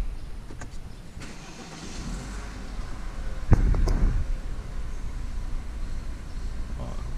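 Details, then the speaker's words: BMW F30 misfiring badly: rough, lumpy idle with an uneven beat that stumbles when revved; ignition misfire suspected, not confirmed, although the owner says a new coil and other parts were already fitted. "Ó, falhou. Isso aqui pra mim é falha de ignição, tá? Tá bem com cara de falha de ignição."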